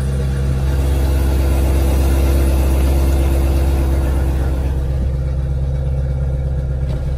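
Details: C7 Corvette V8 restarted right after spark plug replacement, previously shaking badly: steady, even low rumble with smooth idle beat and no stumble or misfire; idling cleanly now.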